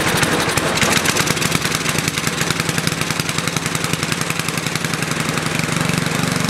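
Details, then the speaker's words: Snow blower, cold start at about 30°F after carburetor float-bowl drain gasket replaced, full choke, half throttle: heavy, slightly uneven beat with a lumpy "pum pum" stumble; more choke made it worse, so running rich. "as you noticed when it was running before it had that little pum P pum pum in it that means that it's rich on the rich side"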